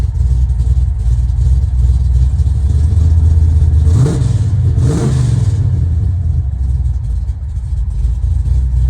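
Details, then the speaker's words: Freshly restored 1970 Plymouth Road Runner V8 with headers and Tremec 5-speed: deep uneven loping idle, then a quick blip up and back down, clean and even; normal lopey idle. "And it's got a bit of a rump."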